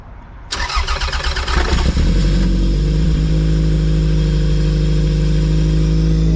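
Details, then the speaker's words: Toyota MR2 after driving through deep floodwater that entered the intake, restarted after cleaning the spark plugs: cranks briefly, catches and settles into steady even low idle with no misfire; running smoothly, smoking stopped. "So now we've cleaned all the spark plugs, Chris is going to start the car again, and hopefully it's running a little bit healthier."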